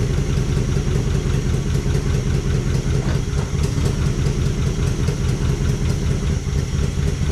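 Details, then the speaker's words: 1955 DeSoto Firedome Hemi V8, first start in decades after storage, on its own fuel tank: lumpy, uneven idle with a loping stumble that never settles, a cylinder or two not firing. Misfire from crossed spark plug wires, later switched around. "Runner unlike seven yeah we got to figure out which one ain't firing"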